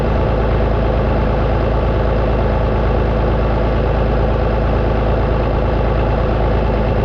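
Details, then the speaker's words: Vintage Oliver tractor engine at warm idle after water pump and hose work, during a combustion-leak block test: steady, even low rumble, no knocks, misses or surges; runs fine, owner suspects cracked pump housing sucking air. "I got to leave it running so you'll just have to hear them try to listen to me over the sound of an engine a perfectly fine running engine"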